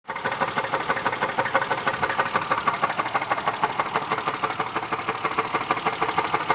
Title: What is this knocking noise